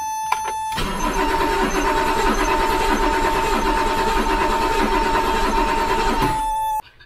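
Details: 1984 BMW 733i 3.2L inline-six that sat outside for two years, with a new spark plug and fuel added: about five seconds of fast, uneven cranking with no firing; possible low compression in one cylinder is suspected, but a fuel problem is blamed.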